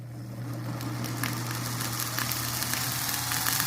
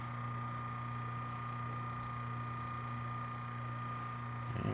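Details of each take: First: Antique Jeannin repulsion-start induction-run motor, salvaged: steady low hum with irregular crackling and rising hiss from arcing brushes during start, turning quiet once it reaches induction mode. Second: Antique Jeannin repulsion-start induction-run motor: brush arcing during start, then a steady low hum with no brush crackle, running nice and quiet once in induction mode.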